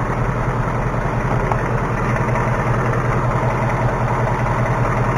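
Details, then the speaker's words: 2018 Ford Mustang GT V8 idling, listened to with a stethoscope: a light, fast top-end tapping over the loud rumble, worse on the passenger side and much louder outside; cause unknown. "hey it when we were outside it was tapping away like unbelievably it's almost harder to hear down here"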